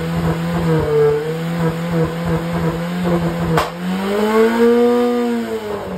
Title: Engine view as it backfires at 5500 rpm